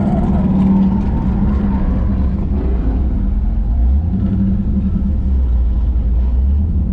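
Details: LSX V8 swapped Infiniti G35 on first drive, revved: deep even rumble swelling and easing with throttle, full intake roar, no knocks or misses; normal revving.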